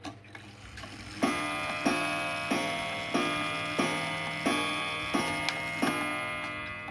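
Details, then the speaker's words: Seth Thomas cottage clock striking: about eight soft, evenly spaced strikes, roughly one every two-thirds of a second, mellow and low; quiet gong possibly a replacement; escapement possibly worn bushings or uneven escape teeth, keeps okay time. "so that's what leads me to believe this is a replacement gong which is why it's probably really quiet but hey less noise for me to have to deal with right it's nice and mellow"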